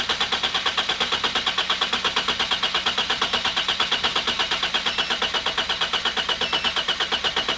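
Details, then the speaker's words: Used four-cylinder car with 240,000 miles, low amp probe on negative battery wire for relative compression test: steady cranking about three even beats a second, no firing; waveforms nearly identical, compression equal across cylinders. "you can see the wave patterns. You gotta let it warm up a little. It's a 4-cylinder engine, as you can see. The patterns are pretty much perfect. They're all pretty much the same lengths. What this test does is show how much energy it takes to spin the engine for each cylinder."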